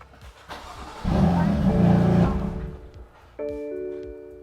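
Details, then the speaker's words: BMW M4 CS S55 restarted after replacing a noisy belt pulley (squeak first suspected from alternator): cranks, catches quickly, settles to even idle with no squeal or chirp; normal engine start. "okay I think sounds good all right no more squeaking"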